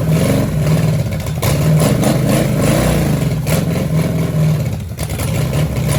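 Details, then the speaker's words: 1966 Chevelle small-block Chevy V8 from a barn find, first firing after flooding and three plug wires on wrong: lumpy, surging idle with clattery dips, not on all cylinders. Suspected: broken carburetor bolt sucking air, timing eyeballed, old ignition. "All right, she's running pretty bad. I mean, she fired, but yeah, I don't think she's firing on all cylinders."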